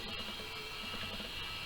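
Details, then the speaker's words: Mosci Gyrocam gimbal booted without camera mounted: steady high-pitched whine over low hum; motors overtuned and oscillating without the camera's load, door partly restraining it. Boot with camera mounted. "Can you hear that noise? What's happening now is it's"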